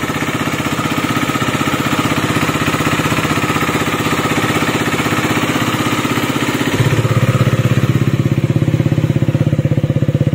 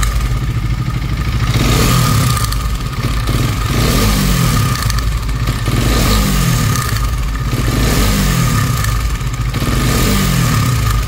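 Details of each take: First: KTM Duke 250 BS6 after repair work: even, regular single-cylinder idle with no top-end rattle or tick. The earlier engine noise is gone. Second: KTM Duke 250 BS6, nearly new, before repair: throttle blips bring a harsh metallic top-end clatter that rises with revs. The timing chain was found worn and replaced.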